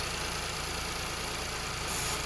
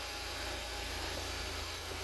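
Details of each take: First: Ford Fiesta, believed 1.0-litre, with lean code P2187, idling: steady airy hiss broken by brake-cleaner spray bursts near the throttle body, engine note changes and readings go rich, so there is an intake vacuum leak on that side. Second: Ford Fiesta, believed 1.0 litre, with lean code P2187 after fix, just restarted, still in open loop: even, steady idle with smooth low hum and airy hiss, no stumble or surging; normal idle, sounding much better.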